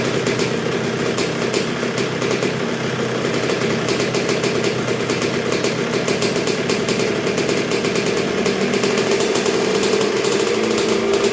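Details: 1986 Honda CR125R two-stroke, not yet fully broken in after a new .060-over Wiseco piston top end: crisp, even popping at a low, steady idle with no stumbling or surging; healthy normal idle.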